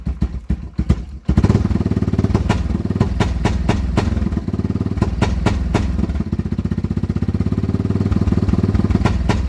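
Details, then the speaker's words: Yamaha Wolverine ATV, after carb cleaning, float reset, new spark plug and new battery, still bogs: the single runs choppy and won't rev, as if hitting a rev limiter. A faulty handlebar switch was cutting spark; unplugging it fixed the running. "hey sounds like it's bouncing off like the rev limiter won't let it wrap up we know the carburetor is perfectly clean so we're going to eliminate one of these switches up here"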